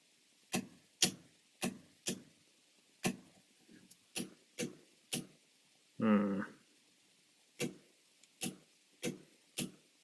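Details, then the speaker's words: Relay board being built for an ambulance-to-RV conversion, relays moved to trigger on the board itself: sharp dry clicks at uneven intervals, one or two a second with gaps; erratic chatter suspected from a bad relay or bad solder joint. "that sounds like a bad relay or a bad uh joint"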